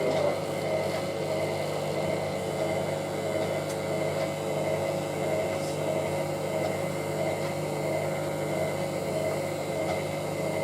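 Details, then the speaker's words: Hotpoint 9530W Electronic 1000 Plus washer spinning toward 1000 rpm on 60°C colourfast cotton programme with bed throw; steady whirring spin with rough uneven churn and faint once-a-second ripple; machine does not sound good, abnormal spin noise. "At least with the 9530W, I'll be able to get this spin up to 1,000. You just hear this machine just doesn't sound good."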